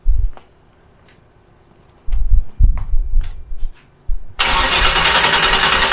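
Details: Fox body Mustang turbo 351 V8 on a Holley Terminator X, first start after installing a Holley Dual Sync distributor (MSD box) with static timing set. Short cranking bursts, a pause, more cranking, then a steady run; starts normally.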